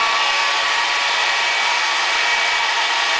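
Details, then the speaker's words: Variable-speed 12-volt clamp fan drawing up to 30 watts (2.5 amps), run at full speed: a smooth, even rush of air with a constant high hum and no rattle or wobble; it runs fine but is fairly loud. "now that's kind of loud on a boat if you're fishing but there's so much other boat noise on boat traffic and if bugs are all over you this will definitely blow them away"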